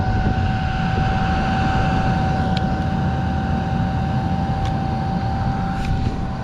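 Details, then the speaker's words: Newly wired boat ventilation fan for the engine compartment, first power-up: loud, steady rushing rumble with a constant mid-pitched hum, powerful but noisy; normal blower operation. "c'est puissant quand même c'est puissant mais ça souffle c'est puissant mais bruillant"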